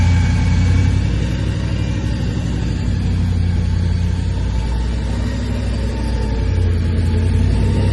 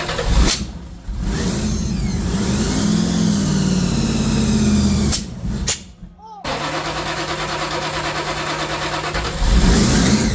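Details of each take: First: Blown 383 stroker V8 in a custom 3rd Gen Camaro IROC Z28 with twin Holley four-barrel carbs, after replacing the worn cam and failed lifters that kept it from idling; deep, steady idle with slight cam lope, no ticking or knocking. Healthy idle. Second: 3rd Gen IROC Z28 Camaro, blown 383 stroker with two Holley four-barrels, after new cam and lifters; held on throttle, revs sag hard near six seconds, almost dying, then catch; stalls off pedal because carb idle plates set too low.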